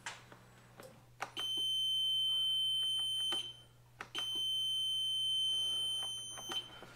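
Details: Piaggio MP3 400 suspension lock fault: two long high-pitched warning beeps, each preceded by a relay click. The motor-reducer relay, previously dead, began working after the fuses were pulled and reseated; the fault was linked to a fuse.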